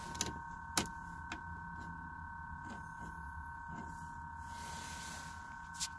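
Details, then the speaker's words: Truck with key off and dead battery: thin, steady high whine with a couple of tones and irregular faint clicks coming from the dash vent; stops when key is turned on, cause unknown. "well it's making that sound keys in the off position he's off and the battery's dead"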